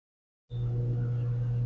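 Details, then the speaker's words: Electrolux LTD11 10 kg washing machine after replacing the power board: click, then steady low hum with faint water hiss as the soap inlet valve opens and fills normally. "já começou a funcionar a válvula do sabão já ligou"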